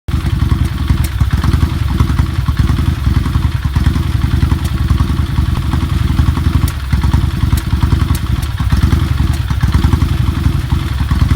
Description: Something happened to drastically change the timing or mixture or?? Running very rough.